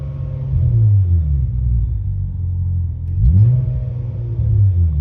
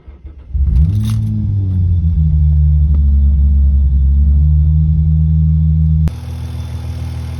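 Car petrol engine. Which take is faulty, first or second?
first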